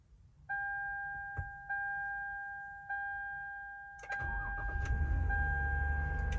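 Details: 2013 Toyota Sienna with Start-X (EVO-ALL) remote starter and Fortin RFK942 RF kit, after reprogramming the remote: three short beeps, brief crank, engine catches into steady run; normal remote start.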